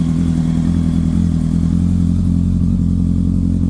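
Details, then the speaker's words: Kawasaki ZX10R at its first cold start after an engine-out gearbox rebuild, idling with oil pressure up straight away: a strong, even low burble with no ticking, tapping or rattling; it runs healthy. "sounds good no botling no tapping got no leaks going to let it one up to temperature I'm not going to give it a web just going to let it idle let it do its thing"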